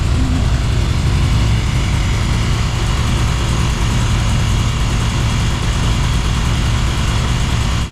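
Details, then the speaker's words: 80s BMW 528i E28 ex-drift car, long unused, first start after letting the fuel pump prime: deep, smooth, even idle with no knocks or ticks; engine sounds healthy. "But it doesn't sound like an attack or anything. I mean, it actually sounds really good."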